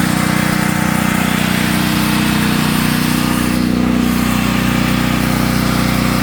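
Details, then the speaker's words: Natural-gas home standby generator started at the beginning of hurricane season. A loud, steady drone at constant speed with a coarse buzzing throb. The shipping brackets were never removed and caused heavy vibration, so they were taken off. "These things right here. That was so it was causing a lot of vibration every time we cranked the generator up."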